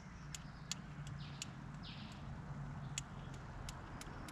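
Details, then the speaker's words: 1973 Chrysler Galant sitting 26 years, ignition points opened by screwdriver: faint sharp snaps at irregular intervals, not every opening sparks; points suspected still dirty, to be filed and cleaned or replaced. "Well, the points are sparking. When you open them up with a screwdriver to collapse the circuit, you can see a little spark there. Not every time though, so maybe they're still a bit dirty."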